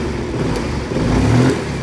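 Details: Yamaha Mio M3 scooter after replacing the faulty ECU, which had stopped it revving and caused stumbling and lack of power: engine picks up smoothly on throttle, then settles back without stumbling.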